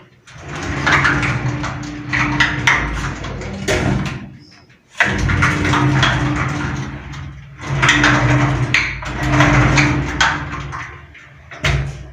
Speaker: o que que significa isso significa que a Roldana o rolamento da Roldana está sem lubrificação